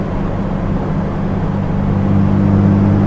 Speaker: I don't hear anything strange. Transmission feels good.